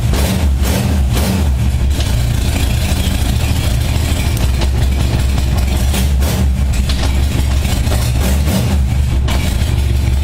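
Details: 1978 Honda Goldwing after carb sync, cold start with choke and eighth-turn throttle, briefly warmed: deep steady low rumble, no misses or stumbles; smooth even normal idle.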